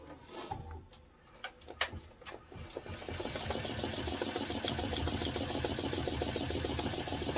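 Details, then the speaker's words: BAI embroidery machine stitching a steamed hat at 450 speed: after handling clicks, fast even stitching settles into a smooth steady chatter with no popping; running normally. "now I'm running it at 450 and it sounds good sounds really good right now you don't hear a popping sound it's usually you'll hear a poppy sound like a Snapple cap"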